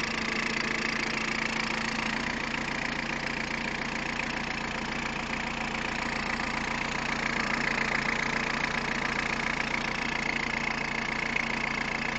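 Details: Peugeot 106 1.5 diesel (11/2002), 130,000 km, timing belt done at 73,000 km: at idle a fairly regular light tapping of roughly three per second over the usual clatter; abnormal idle noise, source unknown.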